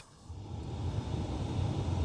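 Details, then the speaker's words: 2015 Skoda Rapid with fault code 00157 (terminal X), no headlights, blower or rear wiper; blower motor run directly off a test lead: low even hum building smoothly as fan spins up; blower motor itself works fine. "so you can hear that Fan's working fine"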